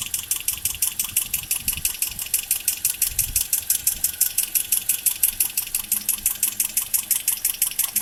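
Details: 2010 Toyota Corolla LE automatic at idle; fast, even light metallic ticking about three per second from the top of the engine.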